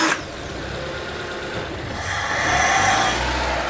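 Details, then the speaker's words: Mitsubishi Lancer, restart after switch-off: engine catches after a short burst then revs up smoothly with clean rising tone; idle air control valve shows full travel, normal operation. "full travel for IAC valve"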